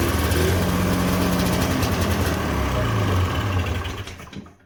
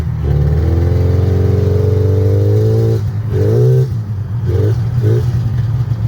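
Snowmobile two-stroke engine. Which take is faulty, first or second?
first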